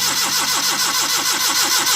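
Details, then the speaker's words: Suzuki Mehran VX/VXR Euro 2 petrol car that won't start; the starter cranks in quick even pulses but it never catches, and no petrol comes from the disconnected fuel pipe with ignition on: crank no start from a failed fuel pump. "ये देखिए नहीं, इसमें पेट्रोल नहीं आ रहा, बस ये देखिए इसमें पेट्रोल नहीं आया स्लो मारने से और स्विच ऑन करने से। इसका मतलब है इसके फ्यूल पंप में प्रॉब्लम है।"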